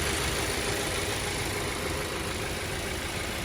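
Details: Boxer engine started during a basic service, checking for oil filter leaks: steady, even idle with a smooth low hum and no knocks, misses or rattles; healthy.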